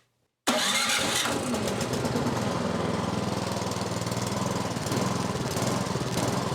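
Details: MTD snowblower, about two to three years old with about an hour's use, electric start on choke at half throttle: catches right away and runs steady and even; normal start and run.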